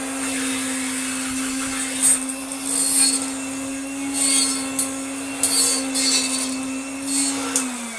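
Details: Antique Canadian Hoover Dustette 100 vacuum, first power-on after unboxing: steady, even mid-pitched motor whine holds constant, then sags slightly as it switches off; motor running smoothly and healthy.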